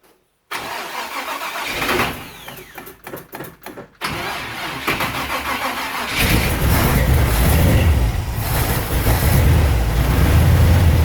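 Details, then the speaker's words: Chevy 350 small-block V8 in a 1973 Buick Apollo, after a Holley carburetor swap and retightening loose parts: starter whirs, the engine catches, then idles unevenly with a lumpy beat and stumbles; owner suspects a bad spark plug wire. "still running rough think we got a bad plug wire somewhere"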